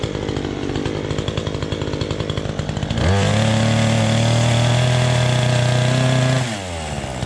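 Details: Chainsaw with a loose chain chatters at idle, jumps to a steady high scream in the cut and drops back clean; healthy saw pulling well under load.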